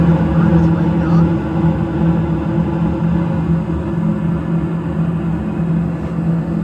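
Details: York furnace blower after a DIY blower motor replacement: a steady low hum with no wobble, rattle or vibration building up. The new motor runs smooth and quiet and the whole unit no longer vibrates.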